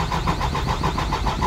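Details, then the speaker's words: Diesel truck, crank no start after sitting overnight; fuel lines have diesel: even starter cranking about six compression pulses a second, never catches; faulty fuel shut-off valve starving the engine. "Wala po ayaw p umandar"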